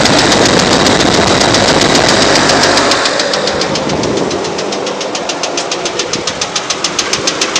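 Sharp, even ticks about three or four a second over a steady idle; a clear top-end tick, cause not pinned down.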